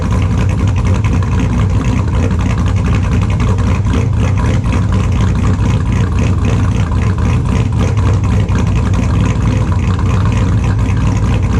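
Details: 2002 Chevrolet Silverado with a built LS engine, idling in the shop after a cold start: extremely loud, deep, lumpy idle with a choppy cam rhythm, steady and even on both banks; normal idle.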